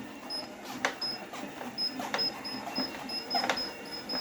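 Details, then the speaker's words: Torneo Inita T-150 treadmill after disassembly and cleaning: high squeak chirps with light thumps at walking pace, only under the left foot, not the right; deck squeak suspected from insufficiently tightened left-side deck mounting screws. "вот по моему абсолютно тот же самый скрип и я обращаю внимание на то что он от правой ноги у меня не производится он только от левой"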